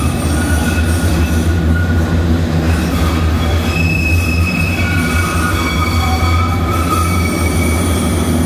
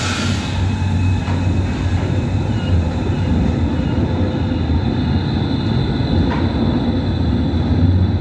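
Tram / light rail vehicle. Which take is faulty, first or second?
first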